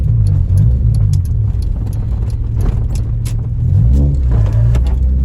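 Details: Honda Civic EJ9 with automatic transmission, driving POV: a low, lumpy engine drone with an uneven, stumbling beat under load; misfires on all four cylinders, codes 71, 72, 73 and 74.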